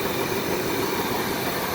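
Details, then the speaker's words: RV with 454 engine that had backfires and poor acceleration, after replacing the leaking carburetor gasket: steady, even idle with no drop in rpm, no sag or hunting, smoother than before; normal idle. "certainly seems to have stopped definitely there's no drop in rpms now which is awesome"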